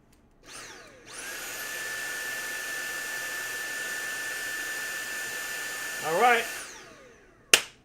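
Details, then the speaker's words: Shark cordless vacuum with suction problem after fitting a new battery; motor spins up quickly to steady even high whine for about six seconds, no stutter or dips, battery fixed the problem. "Battery fixed the problem."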